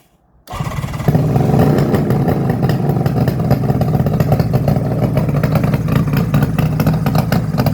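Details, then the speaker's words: Cold start of a 1972 Suzuki GT750J two-stroke triple with 35k miles, on choke after sitting for days; a loud, raspy idle with sharp puffing and chuffing from a major exhaust leak the owner plans to fix. "and there's our major exhaust Loop there I was talking about so I'll certainly sort that out"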